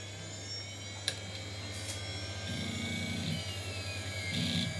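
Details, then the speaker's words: Apple Quadra 700 floppy disk drive after cleaning and correcting the eject mechanism (eject motor not yet tested), reading a MacOS installation disk: a quiet whir with soft stepping buzzes and a click as the head seeks steadily. Normal operation. "It was not that difficult in fact we just had to correct the mechanism we don't have the eject motor tested yet but what pleases me is the fact it's reading the floppy disk"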